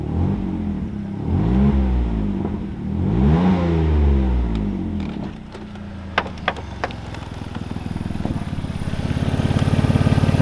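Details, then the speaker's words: BMW E46 with M54 engine after a cylinder 1 coil swap for misfire: revs swing with loud raspy puffing exhaust, then ticking idle, from holes drilled in the muffler and in the pipe after the catalytic converters. "găurele găurele mă pun să le astup că sună prea oribil morsina și mai am două pe partea cealaltă"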